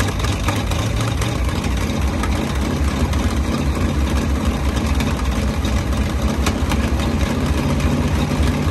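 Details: 1939 Ford 1.5-ton truck, flathead V8 parked about 65 years (bad head gasket, water in oil pan), new intake gasket and condenser, wired directly to battery: steady even low rumble, no knocks or misfires; runs pretty good, carburetor a little weak.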